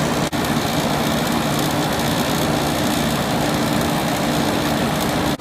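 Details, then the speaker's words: R22 window air conditioner with blue evaporator coil at its spring 2020 first startup, on high fan as the compressor starts: steady even fan rush, smooth low compressor hum, no rattles or surging. A quiet unit, running normally. "is a nice quiet air-conditioner I'm sure it sounds a little bit louder than normal the window but it's very quiet air-conditioner"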